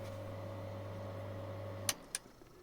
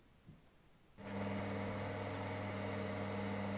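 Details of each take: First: In-line bathroom/kitchen extractor ventilator, hung in flexible tubing with foam and tie wraps so it has no hard contact with the wooden floor or tubing: steady low even hum with no rattling contact noise, then a clean cut-off; quiet normal running. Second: Inline bathroom extractor fan bolted into duct with foam packing: steady low hum and drone carried into wooden floor via mechanical contact between fan, pipe and floor; structure-borne fan hum.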